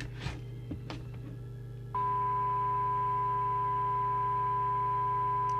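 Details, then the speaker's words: Moonraker Minor II CB radio receiver fed from a signal generator. A low hum with a steady whistle-like musical note comes in with the signal, suspected to be from the radio's CPU or synthesizer, and drops with less signal. "you all hear that hum coming in with it you've got a musical note"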